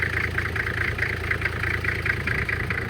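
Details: 1997 Toyota Land Cruiser HZJ75 diesel after true cold start around 20-25 degrees, windy, hood open for blow-by test: even, steady clatter at settled cold idle, no misses or knocks; little smoke, blow-by looks good; normal cold idle.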